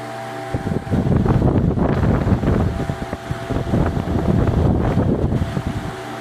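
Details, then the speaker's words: Ventisol VOP 60 MX G3 60 cm wall fan, 200 W, 2.5 µF capacitor, no dimmer so running at maximum speed after coil jumper repair and cleaning: loud steady air rush, low hum, no rattle or grinding. "É um ventilador bem forte aí na questão de vento, pessoal. Uma rotação bem alta."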